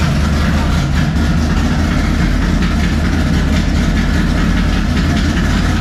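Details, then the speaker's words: 1957 Chevy pickup big-block V8, first start with new 3-inch exhaust and Black Widow mufflers: deep, heavy, even idle through loud mufflers, steady firing with no knocks or misses; normal. "It's not going to be quiet, I can tell you that. All right, first fire up with the exhaust."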